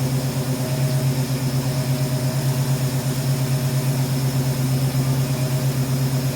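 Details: 1971 Ford Mustang Sportsroof with a 351 V8, revived after 14 years sitting, no coolant in it: an even, steady low drone with a smooth pulse and no knocks or ticks; a clean, normal idle, with a little blow-by noted.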